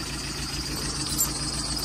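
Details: VW after starter motor test: smooth, even idle with a low steady hum and no knocks, misses or grinding; normal idle.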